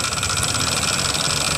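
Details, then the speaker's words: Yamaha NMAX 155 (new model) scooter idling, CVT pulley cover removed to rule out CVT: harsh, gritty rattle from inside the engine top end; cause found in cylinder head, rocker arm. "coba perhatikan suaranya kawan-kawan suaranya cukup terdengar kasar pada bagian dalam mesin jadi di sini bisa kita katakan bahwa suara kasar itu berasal dari pada bagian mesin"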